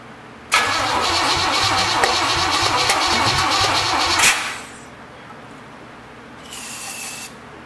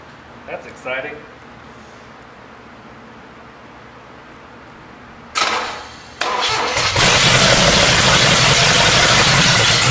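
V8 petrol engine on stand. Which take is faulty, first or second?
first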